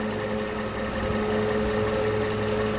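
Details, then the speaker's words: 2011 Toyota Camry 2AR-FE after lifter and rocker arm replacement, AC off, revved to 1500 rpm and released: shaky, uneven idle with faint irregular tick, sagging as if to stall but keeps running; stalling issue persists. "she doesn't want to die. Literally feels like you want to die, but you don't want to. And I really see the shaking."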